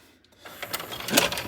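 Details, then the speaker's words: Sylvania DV220SL8 DVD/VCR combo: right after power-up, brief motor whirring and mechanical clicks as the tape is ejected; fast-forward and rewind fail. Typical dirty mode switch fault. "it just gips the tape and that's the common issue"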